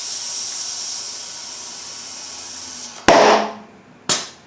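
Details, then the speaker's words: 2014 Victory Cross Country Tour motorcycle, new front tire inflated to its 41 psi maximum to set the beads: air hiss, then two sharp pings a second apart as the beads snap onto the rim and seat properly. "This particular tire has a maximum pressure of 41 psi, so I'm going to fill it up to that, trying to set the beads. You'll hear them ping when it sets."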